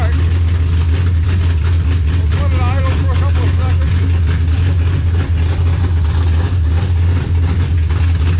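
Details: 1967 Dodge Charger V8 with 727 transmission, freshly back together, first fire-up: deep steady rumble holding an even beat without misses or knocks; normal running.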